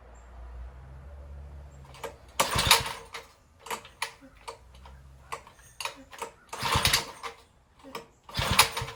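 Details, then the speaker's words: Tecumseh H35 on Sears mini bike, ignition timing just reset, little fuel in tank, throttle unhooked, about 70 psi compression: rasping starter cord pulls with one sharp pop, never runs. "I put a little fuel in the tank. The throttle isn't hooked up. I just want to hear it pop. Ooh, that popped."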